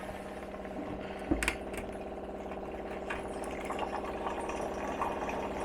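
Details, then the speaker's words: About 1970 Morris 1300 barn find, aftermarket electric fuel pump fitted by a previous owner, ignition on: steady high buzzing hum with a fast tick under it; the pump runs noisily. "let's just turn on the ignition you also got to hear how noisy this pump is"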